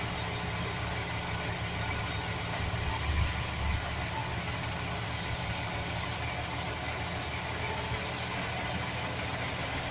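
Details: 2007 Chevy Express 1500 4.3 V6 idling: loose, uneven metallic rattle on top of idle, briefly strongest, from a bad starter motor gear chattering against the flexplate.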